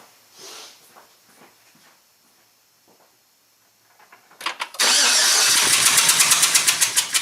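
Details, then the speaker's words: 2009 Chevy Silverado AFM V8 with valve cover off, after quiet handling cranks, catches and idles loudly with an uneven, pulsing beat: misfire from a collapsed intake lifter. "well guys now we know what it is definitely intake lifter is causing a problem"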